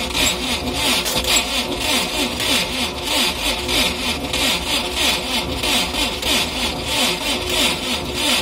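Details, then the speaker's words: Cold start attempt on a UAZ engine run with no oil that seized: slow cranking with a sharp, creaky scrape repeating about 1.5 times a second, from spun crankshaft bearings; smoke came from the engine before; it stops instantly. "Слышно какой-то конкретный скрип. В прошлый раз, когда мы на нем застряли, из мотора дым выходил, блин."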